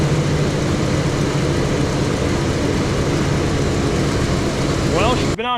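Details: 2007-2014 Chevrolet Silverado/Sierra 2500HD after water pump gasket and heater hose replacement: steady, even low idle with no knocks, ticks or squeals; engine runs smoothly and healthy, coolant still full after 15 minutes.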